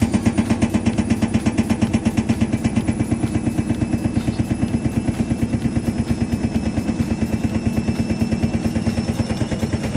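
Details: IFB Senorita/Elena front-load washing machine during spin: fast steady clattering knock about three beats a second throughout; drum bearing or spider suspected, later disassembled for bearing, oil seal and spider replacement.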